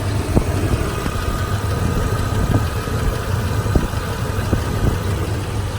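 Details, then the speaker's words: 2003 Toyota Tundra 2WD, 3.4 L V6, almost 200,000 miles, at idle: low, soft, even rumble with only a few faint thumps in the background; very quiet, healthy engine. "hear that how quiet that is I honestly think that may be quieter than my 5:7 I mean this thing is just it it just pervs it amazes me how quiet this is with 200,000 miles on it"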